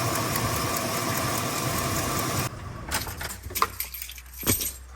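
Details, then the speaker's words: Chevy Silverado 5.3 V8 at idle: fast light ticking from broken exhaust manifold studs, front and rearmost, on both sides; exhaust manifold leak, fixed with new gaskets and bolts. "It's ticking on that front side and also back here. Front studs busted. And the very farthest one back is also busted."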